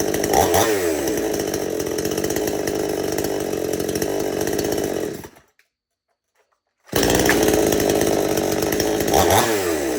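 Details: Chainsaw after the idle speed screw was turned in a little more, carburetor jets left alone: runs smooth and steady, drops out, then restarts and settles into an even, clean idle; the setting sounds right.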